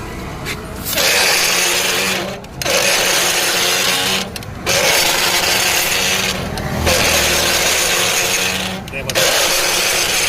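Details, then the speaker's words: XL 100 motorcycle rear wheel spun by hand: dry scraping rasp in surges about every two seconds, caused by one of the two rear drum brake shoe springs being broken, letting the shoe drag. "ఆ విధంగా ఎందుకు వస్తుందంటే లోపల break నైరోలో 2 స్ప్రింగ్లు అయితే వస్తాయి. ఏదైనా spring cut అయితే మనకి ఆ విధంగా అయితే సౌండ్ అయితే క్రియేట్ అవుతుంది."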